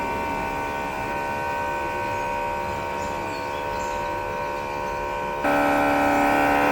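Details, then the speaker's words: Air conditioner outdoor unit, heard from behind: a loud, steady buzzing drone that steps up near the end. The compressor is making an abnormal noise; repair was judged too costly, and the customer was advised to replace the AC. "Sound ऐसा कर रहा था कि पूछो मत।"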